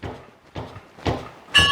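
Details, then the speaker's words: Nissan Hardbody pickup, front torsion-bar suspension lowered without aftermarket parts: four dull thuds about half a second apart as the front is pushed down, the last with a squeak; suspension bottoming out on the bump stops. "there you can hear me bottoming out i think i'm going to settle for this"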